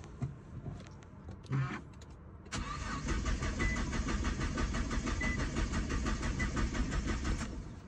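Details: Nissan GT-R R35 with code P1220 (fuel pump module), no-start symptom: steady fast rhythmic cranking, about three turns a second, goes on for seconds without catching; no fuel pump power, crank no start from a blown fuel pump fuse.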